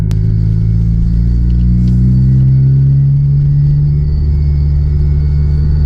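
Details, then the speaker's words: Honda Civic Type R FK8 after a PRL flex fuel kit install, driving with throttle on and off: low droning buzz that swells with revs, more noticeable with windows up; owner suspects the kit's PTFE hose, cause unconfirmed. "figure out if anyone else has had this weird like buzzing sound after installing this flex fuel kit. Dude, that's even more noticeable with the windows up."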